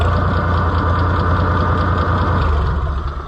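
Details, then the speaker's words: White 2-70 gas tractor being revived, no battery fitted: low, lumpy idle with uneven beats about three per second; engine barely hanging on to life, sounds ready to stall. "there's no way it's going to move because I'm just barely hanging it on to life nope"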